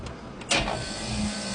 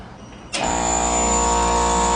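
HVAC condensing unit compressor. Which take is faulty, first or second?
second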